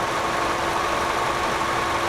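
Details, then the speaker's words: 2001 Honda Accord EX 2.3L, 113,555 miles, idling with a slightly uneven, lumpy beat under a steady hum, occasional miss; rough idle and lower gas mileage over recent months, spark plug wires found worn, to get new plugs, wires, distributor cap and rotor. "The customer's complaint is over the last few months it's starting to run a little bit rough. It's idling a little bit rougher, gas mileage has gone down a little bit."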